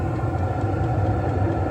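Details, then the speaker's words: 12V HCalory diesel heater in a spray-foamed conex cabin, restarted after error code 10 on first run: steady low hum of intake, fan, fuel pump and exhaust with no surging or rattles, putting out hot air; running normally. "And it's putting out hot air out the muffler here. You can hear the intake, hear the fan, hear the fuel"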